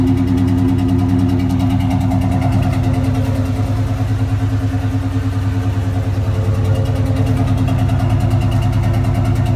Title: Cobra rough idle